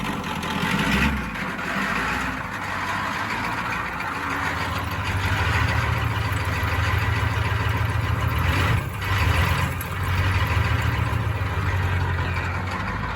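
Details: 1992 Ford F-250 7.3 diesel, 5-speed, reportedly rebuilt engine, sitting since 2004, first start in 17 years after glow plug cycling, no ether: deep steady diesel rumble at even idle, no knocks or misses; normal idle.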